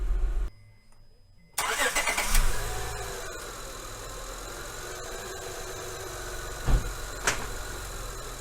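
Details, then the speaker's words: 2003 Honda Accord V6 (J-series) with code P0747, engine idling: dull low thump and sharp knock, a shuddering hard jolt from park into reverse and again drive to reverse. Dirty linear solenoid suspected; filter change, ground wire and solenoid cleaning planned. "so you can see by the footage you can see the the harsh Shak taking from from uh Park to reverse and then I went down to drive and put it put it back into reverse you just see it's just shuttering and like just a just a hard jolt man"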